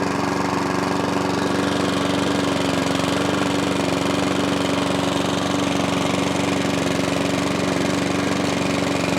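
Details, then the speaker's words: Small engine with faulty throttle cable, choke held closed by hand on cable: steady, fairly even small-engine drone with firm mid pitch, running only on full choke; carburettor needs work. "a bit of carburetor work but when you force that to choke which is there by holding my cable it runs so someone threw it out because the throttle cable it's just a bit Dicky"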